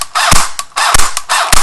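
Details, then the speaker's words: Echo1 airsoft electric gun on a flat stock battery: three sluggish bursts of strained whirring with sharp clicks as the motor barely turns the gears; jammed/locked-up gearbox, and continued trigger pulls risk blowing the fuse and heat damage. "basically the battery's all out of power and it's struggling to turn the motor and the gears and that's a jammed gearbox or locked up"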